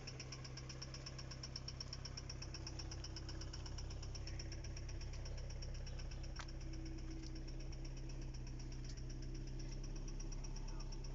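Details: Engine knock at idle: steady, fairly regular knock of roughly two to three beats a second over the engine hum; cause not confirmed.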